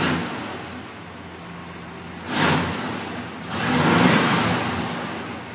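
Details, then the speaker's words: 1974 Chevy K20 Stepside running after start: smooth idle with two clean rev blips that settle quickly, with no misses or knocks. The engine runs well. "yeah, it runs good."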